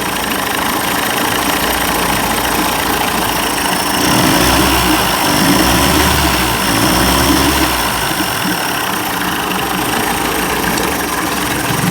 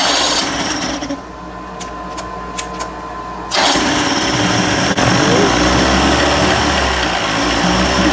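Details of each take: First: 1990s 30 hp Evinrude outboard after carburetor rebuild for stalling and rough idle: steady buzzing idle, even beat, no misses; running better, though carburetor gasket leaks fuel and needs replacing. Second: 1990s 30 hp Evinrude outboard, cold start after carburetor rebuild, primed, throttle at high idle: catches after cranking and runs with an uneven, stumbling beat around three pops a second; missing while cold.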